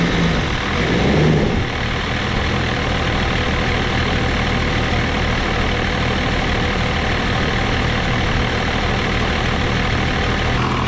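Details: 1989 Dodge Ram D250 with 12-valve Cummins turbo diesel and VE injection pump, first start after new alternator, water pump and thermostat, warming up: steady, deep diesel clatter settling into an even idle with no knocks, squeals or misses; normal oil pressure.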